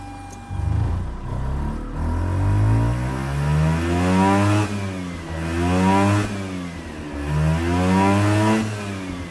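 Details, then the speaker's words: Mazda RX-8 rotary, about 129,000–130,000 miles, likely never rebuilt, cold, blipped after deflooding: revs rise and fall unevenly with a rough, stumbling note; misfiring under throttle, owner suspects worn apex seals. "This is definitely not good. As you heard, it's doing some misfires. because there's a good possibility that my apex seals, they're probably worn."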